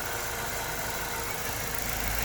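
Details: LPG-converted car that had shaken badly at idle, after repairing poor contact in two internal field wires: even steady idle with no stumbles, shakes or dropouts; normal idle.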